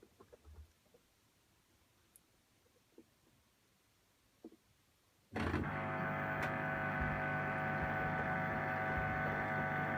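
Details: Two-month-old LG 11kg Steam Direct Drive F1495KDS washing machine during wash cycle: faint clicks, then loud steady buzz with a hard, even tone; recirculation pump suspected, unconfirmed.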